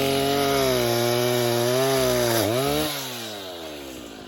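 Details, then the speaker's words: Vintage 1960s Stihl 08S chainsaw, close to 60 cc, with chain brake, cutting dead ash firewood: strong even two-stroke buzz sagging briefly under the cut, then settling to a clean steady lower run; runs good, normal running. "That's all I can say. But it runs good."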